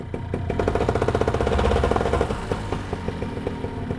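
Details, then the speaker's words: Vittorazi Moster EFI fuel-injected two-stroke paramotor engine, warmed up after start, given a small throttle blip while the display shows RPM and EGT. Revs rise and fall cleanly with a crisp, even firing beat: normal two-stroke rev-up. "now I'm going to rev it up a little bit"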